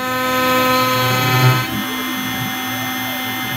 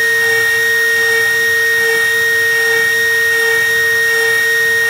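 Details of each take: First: OpenBuilds MiniMill CNC router, early cuts in aluminum at axial depth reduced to 0.05: high router whine with a harsh ringing buzz; it struggles through slowly, and resonance chatter comes from the flexible frame. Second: OpenBuilds MiniMill CNC router cutting aluminum with a 1/8 inch end mill using helical ramps: steady high spindle whine with an even cutting hum and no chatter or bogging; the cut is clean.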